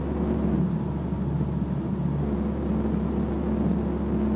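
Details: BMW E46 while driving: steady low drone evenly under road noise, no knocks; hum from a faulty propeller (long) shaft.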